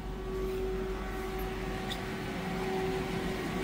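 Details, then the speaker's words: Police car cabin AC blower running with a steady, even mid-pitched whir and no rattle or squeal, blowing cold after its connector prongs, which were not making contact, were reseated with dielectric grease until they clicked; owner says a relay is still needed. "Yep. Look at that. You know what that mean? It's cold. It's blowing now."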